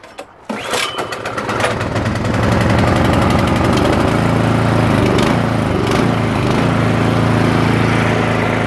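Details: 2017 Troy-Bilt Storm 2410 two-stage snowblower, started with choke, throttle and primer: a few coughs, then catches and settles into a steady, even run with no knocks or misses; healthy small engine.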